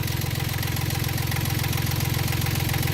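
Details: Yanmar 3GM diesel in a Hunter 35.5 sailboat after a throttle cable replacement: a steady, even low thump at a settled idle just under 800 rpm, with no misses or knocks.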